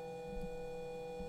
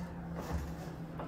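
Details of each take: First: DIY 2DOF motion simulator servo motors driven by Arduino Uno PWM at about 490 Hz: constant pure tone near 490 Hz over a faint hum, motor coils vibrating at the switching frequency; fixed by moving to an STM32 F4. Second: DIY 2DOF motion sim rig after moving to an STM32 F4 and replacing potentiometers with magnetic shaft sensors. Low servo hum rising and falling in pitch as the rig moves, with no high beep or whine: normal servo motor operation.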